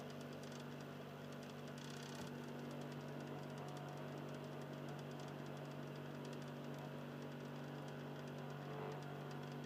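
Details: Xbox 360 Slim, Philips lite-on DVD drive, console in standby. Quiet, low motor hum with a faint rough grinding texture, lower in tone than before. Cause unknown.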